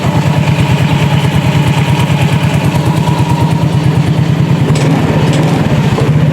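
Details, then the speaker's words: Yamaha Mio J automatic scooter after replacing the starter one-way clutch, run with the CVT cover off: smooth, even low putter at idle, about three pulses a second, no rattle or grind; normal idle, rough noise gone. "Oke, udah terdengar halus, bisa dilihat bisa didengar buat teman-teman. Kembali halus."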